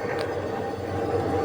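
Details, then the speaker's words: Polytron single-door refrigerator after replacing a clogged capillary tube and recharging Freon, current about 0.67 A: steady soft hum with faint even tone, no gurgle or rattle; compressor running normally, refrigerant flowing smoothly. "Ya. Suaranya sangat halus, Freon mengalir dengan lancar."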